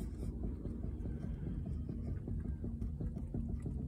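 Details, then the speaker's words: Renault Zoe 22/40 kWh, raised front wheel rocked side to side: dull low clunks about three a second; worn front lower arm ball joint knocking, common as the Clio-derived suspension carries the heavier car; fixed with a new lower arm. "houldn't happen might be able to hear it Knocking as well this one's quite bad so that that should not move um and that's what our issue is that ball joint has worn out"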